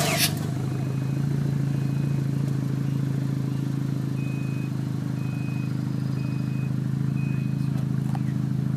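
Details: Mazda RX-7: steady low cranking drone pulsing about three times a second, never fires; cranks but won't start.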